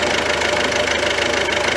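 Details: Ford C-Max 1.6 diesel after gearbox reinstalled with the whining group gear bearing replaced: steady, even running with no whine or rumble from the gearbox; sounds quiet and healthy.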